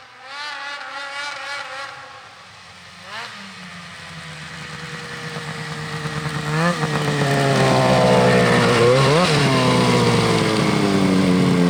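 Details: Polaris IQR 800 shorty two-stroke snowmobile on a trail ride: crisp buzz echoes through the trees, rising and falling cleanly with throttle, no misfires; runs healthy, though it only turns 8,000 rpm and the owner wants 8,500 via a weight change.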